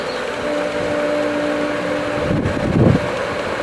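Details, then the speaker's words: Pool pump after opening the skimmer on winterized lines, pump had cavitated and lost prime from air: steady motor whir with a brief watery gurgle near the end as air clears; pump regains prime and runs normally. "on this pump I can hear the sound which basically means that stuff is happening just very slowly"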